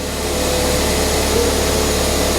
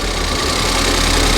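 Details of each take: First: Ford Fiesta ST180 non-runner, first start: petrol engine idles fast and steady with no throttle input, high idle blamed on a broken inlet manifold causing a large intake air leak. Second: Ford Fiesta ST180 non-runner, first start: petrol engine idling steadily with an even low rumble; idle had run high from a broken inlet manifold leak, now settled and smooth with the leak covered by a finger.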